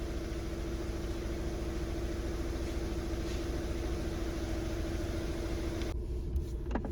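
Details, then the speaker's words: VW Passat with many stored faults, before flywheel replacement: idle with low, uneven rumble and loose knocking about three a second, engine vibrating heavily; dual-mass flywheel knock, flywheel to be replaced. "पहले हम इसका करेंगे जी fry wheel का काम जो काफी ज्यादा vibrate कर रहा है"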